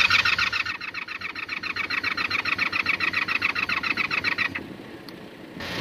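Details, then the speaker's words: Carbureted motorcycle with suspected bad starter solenoid and leaking carb: steady starter whir about 3.5 pulses a second, never firing; engine spins over but no ignition. "At least I can turn it over, which is a damn good thing."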